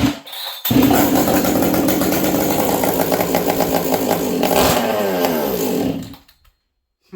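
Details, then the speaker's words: Husqvarna 266XP chainsaw at about -40 in an unheated shop, nearly empty leaking fuel tank: fires up with a crisp even buzz, revs cleanly and shuts off; still thumps well without excessive thump, runs healthy and strong. "She still thumps good, but again, she doesn't have excessive thump."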